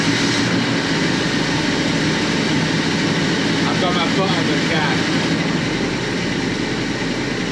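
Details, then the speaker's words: 1965 Clark Cortez motorhome Dodge V8 after valve stem seal replacement and carburetor cleaning (fuel blockage cleared), started with no foot on the gas: loud steady V8 rumble with an even beat, no rattle or clanking; normal running, though it stalled afterwards. "कोई खड़खड़ाहट जैसी नहीं है, कोई क्लंकिंग जैसी नहीं है"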